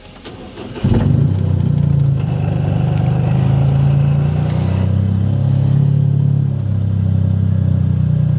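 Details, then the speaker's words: Freshly built Toyota GR Corolla after refitting factory injectors with matching tune: starts cleanly and holds an even idle; misfire counts nearly gone (slight on cylinder 2), down from up to 50 before. "Cylinder 1, cylinder 2, misfire's gone. Ignore. Oh my gosh, look at that, you guys. Almost no misfires."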